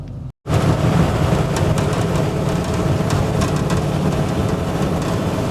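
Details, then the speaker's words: LS-swapped 1968 Chevy V8 during tuning (timing and IAC adjustments), idling with a steady deep rumble after a brief dropout; sounds good; a vacuum leak from a disconnected transmission modulator was then found. "done man thing sounds good"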